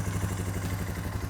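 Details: Suzuki King Quad 450 ATV idling during fluid service after a cooling system repair, oil filter leak fixed and dry. Steady low thrum with an even quick pulse and no knocks or rattles: clean, healthy single-cylinder idle.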